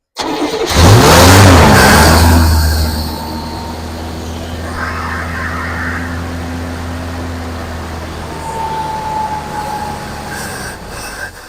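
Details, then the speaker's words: 1971 Buick Skylark running off fuel poured into the carburetor bowl, not yet on its tank: catches quickly, blips up, then settles to a smooth idle with no knocking. "Yeah, but she runs and not knocking it actually."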